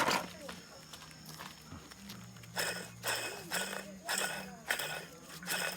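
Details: Removed water pump from a 2003 Suzuki Jimny JB23W (K6A engine), spun by hand: gritty, rasping bursts with each turn from a bad bearing; a replacement pump has been bought.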